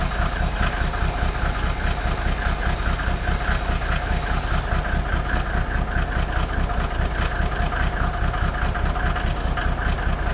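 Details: Mercedes OM603 diesel, cold: lumpy idle with a steady stumble two or three times a second, cylinders not firing cleanly; smoke drops only with injector lines 2 and 6 cracked, glow plugs tested fine, still rough warm; cause unconfirmed.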